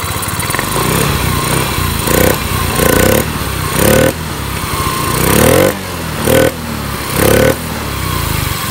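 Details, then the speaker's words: Yamaha Mio 125 that stuttered with error code 15 (TPS), caused by a corroded green ground-signal wire to the TPS; TPS setting raised to 18. Short throttle blips now pick up cleanly and drop back smoothly with no stutter. Normal running after repair. "oke menjadi motornya udah kembali normal Ya udah kembali normal"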